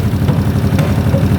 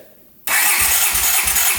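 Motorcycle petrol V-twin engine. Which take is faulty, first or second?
first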